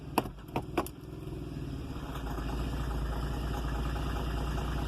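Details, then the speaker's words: Idling in Drive with foot on brake, a 2008 Volvo XC70 engine gives a low, uneven knocking that disappears in Neutral or off the brake and is absent when driving; cause unknown. "can anybody explain to me while the noise and knockings on the engine while the foot on the brakes"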